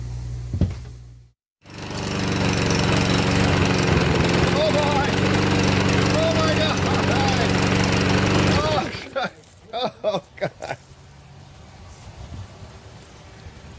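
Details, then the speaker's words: Craftsman push mower, Briggs OHV engine, previously worked on by a mechanic: it screams at a steady, far-too-high speed before shutting down. Revving way too high and hard to start; water in the gas was reported. "she revving like crazy crazy she don't want to start she got water in the gas what do you guys think it is"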